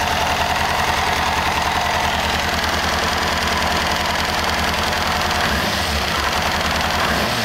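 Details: 1998 Kawasaki ZX6R after a valve adjustment, fuel tank removed: light, quick clicking ticks with the four-cylinder idle, the same noise as before but less noticeable; source not yet found.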